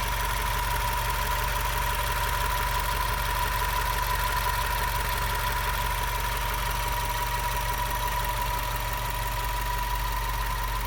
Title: WRX whining noise